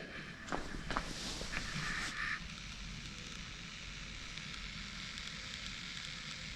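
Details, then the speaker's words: 2005 American Eagle RV battery that had been smoking on charge, recorded up close in cool weather near 50 degrees: soft steady frying hiss with faint crackles, still sizzling and warm; battery boiling, near battery fire. "i'm hoping you can hear that i'm putting you up next to it but it's still sizzling i mean that's kind of scary still warm too"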